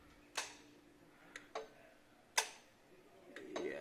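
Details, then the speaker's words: 2007-08 Nissan 350z (HR) during the cooling fan active test: relays click sharply but no fans turn on, quiet otherwise. Suspected bad fans or relays, to be checked along with power at the fan connector. "I can hear the relays clicking but I do not see the fans turn off which is what we want I don't see any of the fans turn on"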